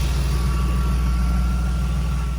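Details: BMW after cooling system work with fan and reservoir refitted: steady, even low rumble with no knocks, misses or squeals; smooth, healthy idle.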